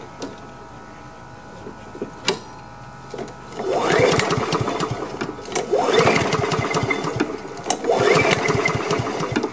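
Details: Honda HRM215 lawn mower, choked and primed after sitting bone dry, fresh gas and freshly cleaned carburetor: catches after a few pulls, then surges in bursts about two seconds apart and sags each time; fuel starvation, fuel lines and on/off valve to be checked.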